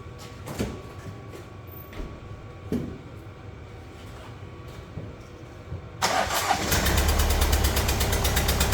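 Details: Kia Sportage 1.7 diesel, start then idle, oil and dirt over the engine: cranks after a few clicks, catches into loud rough idle with hard even clatter, tractor-like; one injector seal blowing, fixed with new copper seals.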